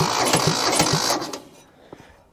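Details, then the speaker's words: Mitsubishi diesel tractor start attempt after glow plugs and ether: lumpy, stumbling chuffs that die away without catching; owner suspects the front cylinder carries it and fuel isn't atomizing in the rear cylinder (black smoke from one, white from the other). "I think the front cylinder is carrying it I still don't think we're getting fuel atomizing properly in this rear cylinder"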